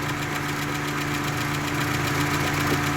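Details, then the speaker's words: Ford Capri XR2 (turbo) after head gasket job, warming idle: quick, fairly even top-end tick (~4/s), likely valve train; oil pressure about 30 at idle, seen as low. "Go from there, but so far, other than that little loud valve noise ticking, other than that, I'm not really too concerned about it."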